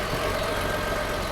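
Steady, even idle with no knocks, misses or rattles; the engine settles smoothly and sounds healthy.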